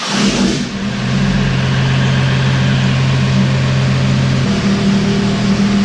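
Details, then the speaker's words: Diesel truck with new lines, started the day after it cranked oddly at the shop: it fires up straight away and settles into a steady, even idle with a deep, solid rumble, sounding healthy. "But basically, I went out and started up this time, and it took right off like nothing. So cool. Sounds good. Sounds really good."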